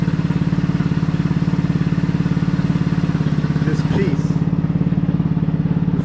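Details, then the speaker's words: 150cc GY6 Maddog scooter, abandoned and just reassembled, first start, starts first try; even steady idle putter with regular firing pulses, no knocks or misses, running clean. "let's see we'll start first try oh yeah so with her sounds really really really good"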